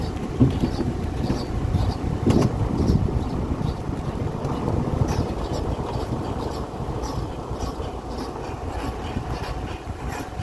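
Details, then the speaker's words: VW CrossFox wheel, coasting slowly downhill only, silent going uphill: slow rhythmic nhec-nhec creak roughly twice a second following wheel speed. "conseguiram pegar ouv o barulho é um barulho assim é um nhec nhec nhec né e agora a gente vai investigar ali o que que é o que que pode ser"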